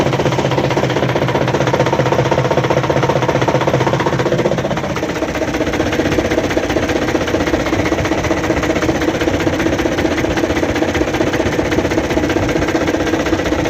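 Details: Broken crankshaft in a diesel truck engine at idle: heavy, regular knocking of about a hundred blows a minute that steadies after a slight speed change. Confirm by rocking the flywheel back and forth and watching whether the front main pulley moves with it.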